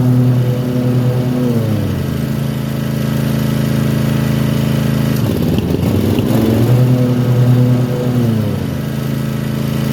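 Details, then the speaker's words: Toro TimeCutter mower with a Kawasaki FR691V twin, fully warm: it runs fine for about 10 minutes, then stumbles, skips, pops and dips in speed several times before picking back up; misfiring only when hot, cause not identified. "well if you heard there my um lawn more started uh kind of skipping cutting out popping uh misf um and it only does it once it's warmed up it once it gets warm it'll run fine for about 10 minutes and then it'll start doing that"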